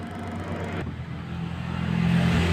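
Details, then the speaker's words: Washing machine spin-dryer motor on the bench, wires being identified: after a click it turns counterclockwise at about 0.5 A, winding up smoothly to a steady low drone without grinding or rubbing; normal running, confirming the running wire. "jadi ini udah kita coba lagi nah dia berputar sebelah kiri dan di tangan pir menunjukkan [Musik] 0,50 253 berarti ini adalah untuk running"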